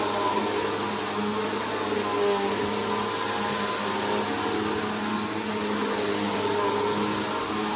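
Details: Bissell PowerLifter bypass-motor vacuum after a full service, tested on carpet at middle height setting: steady even roar with high hiss and faint fixed whistle, no surging or rattle; running healthy.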